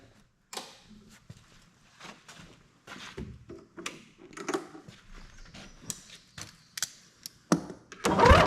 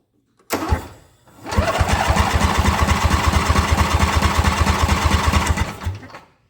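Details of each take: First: Ariens Ever Ride Hornet zero-turn mower, 25 hp Briggs & Stratton twin, sat outside about a year; catches and runs fast but uneven with heavy backfire, one plug gap nearly closed with carbon, mouse nest and chewed plug wire suspected: misfire from fouled plug. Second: Ariens EverRide Hornet zero-turn mower, 25 hp Briggs & Stratton twin, cranking at an even steady rate during a compression test; about 160 psi on the first cylinder, with leak-down within 10%, healthy compression.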